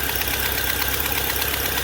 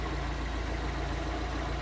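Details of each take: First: Fiat Palio Fire 1.0 8v petrol at idle with a sharp, steady ticking, about three a second, that sounds like engine knock. Cause is a burnt exhaust manifold gasket leaking; fix is replacing the gasket. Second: Fiat Palio Fire 1.0 8v idling after replacing the burnt exhaust manifold gasket: smooth, steady low idle with even firing and no ticking; the noise is gone, normal idle.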